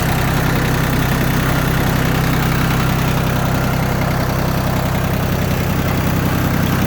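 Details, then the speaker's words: Yanmar F16D 4x4 diesel compact tractor, all fluids changed with new antifreeze and oil filters: even, steady diesel clatter at about 210 beats a minute, no misses or extra knocks, no smoke; healthy, settled idle. "No smoke. Engine sounds good. All the fluids have been changed."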